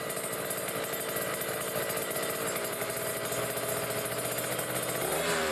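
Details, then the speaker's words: Kawasaki Ninja RR two-stroke, Mikuni 28 carburettor, idling about 1,500 rpm with the air screw fully closed: heavy sluggish choked burble, mixture set too rich. "tapi ini udah pasti setingan Basah nih bisa didenger ya teman-teman Nah dia grebekan Nah bisa didenger ini berat banget nih"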